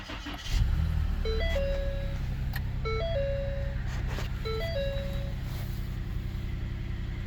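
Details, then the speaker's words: 2015 Ford Taurus that randomly wouldn't start: after replacing the module under the passenger-side seat (fuel pump suspected otherwise), quick crank and smooth, even idle with a dash chime; normal start, the module fixed it. "it's running so that little module um was a good fix"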